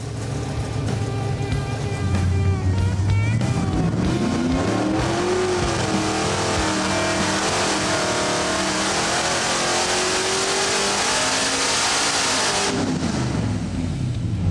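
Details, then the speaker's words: Supercharged stroker 383 small-block Chevy V8 on a dyno, timing advanced 22 to 24 degrees, 6.1 psi boost, full-throttle pull to 6,500 rpm making 606 hp: smooth, even rising note with steady blower whine, drops off cleanly; healthy pull. "a 2-degree jump in timing, and look what it did for torque. Jumped 20 pounds of torque. Wow. Okay, we're at 606 horse now at 6,500."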